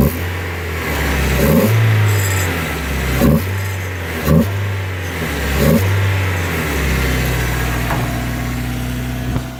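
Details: Mazda Miata with recently swapped SNC engine, new clutch, throwout and pilot bearings, temporary intake; idling with quick throttle blips and a loose rattle from the engine bay, location not pinpointed.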